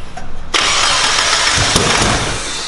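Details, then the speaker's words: Mazda Miata petrol engine at first start after bad coil packs were found: fires abruptly, then settles into a loud, slightly rough idle with a hissy edge. Vacuum leaks are suspected. "a little rough. Yeah, I know. But it runs. It's running. Oh, we got vacuum leaks and shit, though."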